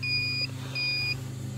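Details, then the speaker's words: CB radio coax tested for high SWR with a multimeter on continuity: steady high beeps in repeated half-second bursts show the centre conductor shorted, unlike a new cable, which stays silent. "it's shorting out it's not supposed to be like that okay that noise is telling me that it's shorted"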